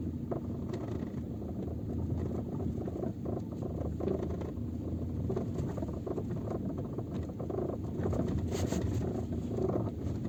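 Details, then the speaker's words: Peugeot 407 creeping in first gear, phone on the rear shelf: faint irregular clicks and rattles over road rumble, from the rear seat backrest latches knocking in their loops. Fixed by wrapping the latch loop in electrical tape. "положил телефон назад чтобы Вы могли послушать звук который исходит от спинок задних сидений"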